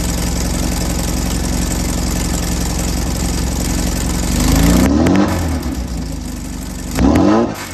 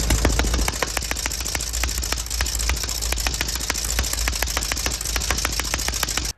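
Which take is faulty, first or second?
second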